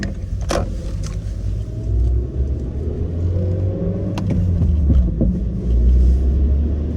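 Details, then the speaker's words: Suzuki Swift Sport ZC31S, over 10 years old, driving: irregular dull knocks from the front, absent under acceleration, worse at low-speed cruising, decelerating, clutch in or neutral; worn front strut upper mount bearings let spring seats shift and suspension hit body. "走ってすぐフロントあたりからコンコンって音がしだします。加速中はしないのですが加速から低速巡航になると音の代償はあるけど、コンコンと、打撃音がひどくなります。"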